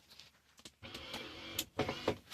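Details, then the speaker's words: 1976 Lincoln Continental power window that won't roll down; short bursts of electric motor whir with no glass travel; motor runs but window doesn't move, cause not yet found, door to be taken apart. "Okay, so we can hear that one working."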